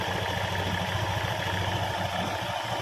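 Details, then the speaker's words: Honda Scoopy (K44) scooter after CVT repair with new drive belt: steady even idle with soft low beat, no rustling or scraping from the belt drive; new belt still slippery, normal idle. "So the sound is like that. Yes, there's no rustling sound. It usually comes from the fanbell that has been installed."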